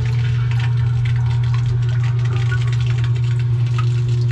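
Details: Everbilt HDS50 1/2 HP submersible sewage ejector pump, with a humming complaint and float snagging on an uneven base: steady low motor hum with faint watery rush, no knocks — pumping normally.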